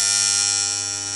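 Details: Williams Full House electromechanical pinball, dealer relay coil: constant high-pitched AC buzz, steady then fading slightly; old toasty coil replaced, new coil buzzes the same; owner suspects AC ripple vibrating the armature; cardboard spacer tried; cause unconfirmed.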